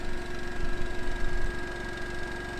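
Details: Honda EU2200i dual-fuel inverter generator in truck camper compartment, eco mode charging batteries, heard from about 15 feet outside: soft steady hum with faint cooling-fan whir, even and unchanging; running normally.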